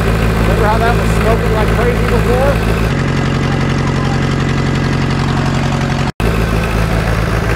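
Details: 1960 John Deere 1010 diesel tractor, first run since budget engine rebuild, started with starting fluid: steady even idle chug, smooth low rumble, no knock or miss; some blow-by noted, engine sounds good.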